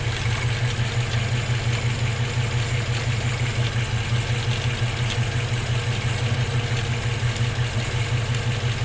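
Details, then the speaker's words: Warm Volvo B18 with a Weber 32/36 carburettor idles smoothly with a steady, even beat and no misses after the idle adjustment screws were set. "so let's see how she rents i actually kind of like that"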